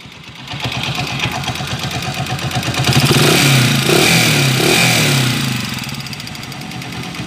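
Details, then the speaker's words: TMX 155 / Pinoy 155 single-cylinder engine before overhaul, visibly smoking: loud clattery rattle over the engine as it revs and settles; excessive mechanical noise from a worn engine, exact cause not confirmed. "Oh, napakaingay mga kabro."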